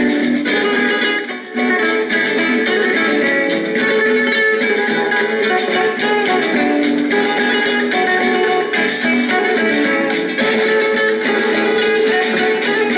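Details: Norelco 1230 cassette recorder, playing the tape's other side: strummed guitar plays evenly throughout, pitch rock-steady without wow or dropouts; tape and transport have no problems, playback normal.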